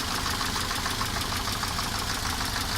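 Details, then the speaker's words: Steady dull tapping from the top end of a 1988 Mercedes 190E 2.0 (M201) at idle, loudest right after start before oil pressure builds. Owner suspects camshaft play in its bearings or hydraulic lifters; not confirmed. "Но такой глухой такой стучок. Особенно его слышно, когда заводишь только двигатель, когда еще давление масла не пошло."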